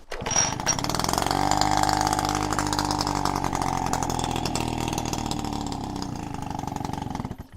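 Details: Peugeot 103 RCX two-stroke moped, first start after rebuild, carburetor needle had been stuck with no fuel; fires on a manually pulled choke, then off choke the buzzy note sags and wavers unevenly before dying; engine faltering off choke.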